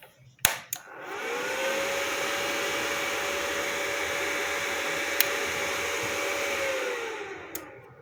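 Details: Inverter welder that would not power on, retested after fixing the faulty power switch (a common failure due to current through it): cooling fan whirs up to a steady, even mid-pitched hum, holds cleanly, then winds down; fan running normally, repair fixed it.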